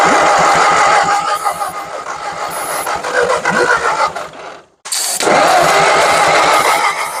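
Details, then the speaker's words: 1940s Ford tractor, probably a 9N, fed starter fluid with intake and exhaust manifold and carburetor off: uneven popping and puttering bursts, a dead gap, more coughing; it fires but can't keep running. Needs manifold and probably a carburetor. "it was ping and it was puttering but uh we're gonna have to go ahead and get a intake exhaust manifold and probably a carber RoR before we continue the dual wielding"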